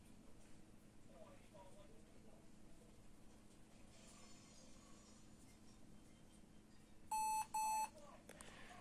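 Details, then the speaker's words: Lenovo ThinkPad T430 at power-on gives two short high beeps with fan error message then shuts off; fan error usually from dust and dirt clogging the cooling fan. "so two beeps and a fan error message and then the laptop turned off so this problem is related to the fan"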